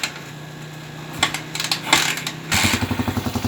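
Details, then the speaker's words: TMX155 single-cylinder motorcycle, previously very noisy with knocking even when cooled, started after an overhaul (connecting rod, clutch housing, bearings replaced): steady, even idle with no rattle or knock. "yan na po guys gandang andar tanggal po yung lato dito yung maingay niya pati yung kumakatok"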